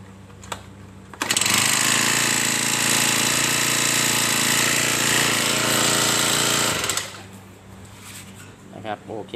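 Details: Honda GX35 lawn trimmer engine, after a new air filter was fitted for a no-start fault; starts, holds a steady high buzz about six seconds, shuts off cleanly, runs smoothly and healthy.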